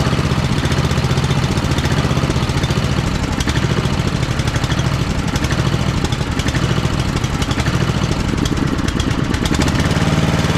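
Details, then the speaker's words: Simplicity Cavalier 3110 riding mower, Briggs & Stratton 11–12 HP single, running on jumper pack: steady chugging at a low, loping idle near stalling; idle likely set too low on the carburetor adjustment. "I think the idle might be just set a little bit too low on the adjustment on the carburetor"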